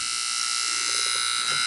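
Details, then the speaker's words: Sanyo VCR 7200 Beta HiFi, no-power repair: harsh, steady, shrill high buzz from the power supply after the Zener diode was moved, no motor sound; cause not yet pinned down. "So when I moved the Zinger diode, we had a noise. That is unusu"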